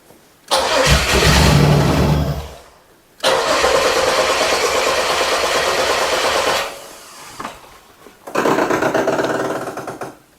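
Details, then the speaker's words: 1996 Chevrolet Camaro 3.8L V6 bought sight unseen, fuel pump not working: cranks, catches briefly, then dies on each try; owner suspects the security/anti-theft system, which was flashing. "the security light was going bananas yesterday when we pushed it in here so I'm kind of wondering if maybe that's our issue not that a fuel pump obviously is not working but if that's why it just keeps shutting off"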